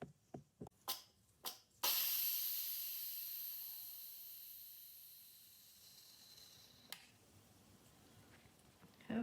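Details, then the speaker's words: Instant Pot after 3 minutes low-pressure cooking of soft-boiled eggs, cancelled then quick release: a few light clicks, then sudden loud steam hiss fading; normal pressure release. "so I'm going to cancel it now off and now I'm going to release the pressure"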